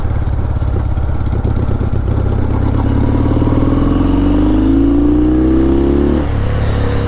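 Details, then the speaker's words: Yamaha XS650 after fresh service and carb work, ridden cold at about 40°F in rain while warming up: the twin's pitch climbs steadily under load without stumbles or flat spots. Strong, consistent acceleration through the revs. "I mean, it pulls strong and it pulls very consistent. And I don't feel any any dead spots in the rev range or anything like that."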